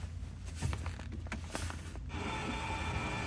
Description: The radio wasn't set to any station so it was static noise coming out of the speakers.